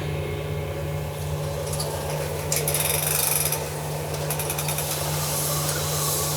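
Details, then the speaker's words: Minneapolis Moline G1000 tractor cylinder being honed with coolant, stones breaking in and wearing into the bore: steady low motor hum with gritty scraping, sounding better each pass; normal honing operation. "you know every time we run that it does sound better"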